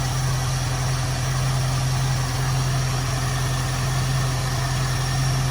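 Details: 1973 Ford Mustang convertible 302 V8, Motorcraft 2150 two-barrel carb, after idle mixture adjustment both sides; steady even rumble about 650–660 rpm in drive, no misses or stumbles; smooth healthy idle.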